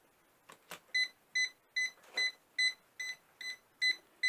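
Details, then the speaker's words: Ultimate Speed 12000 jump starter on a completely flat battery, drained for a day by a 60 W lamp that is still connected: red light on, short high double-tone beeps repeat about every half second, and it refuses to start. It works once the lamp is removed. "ben non donc vous avez le voy rouge qui allumé ici je peux mettre en route ça ne marche pas il bip voyant rouge est allumé donc là vous pourrez pas démarrer la voiture"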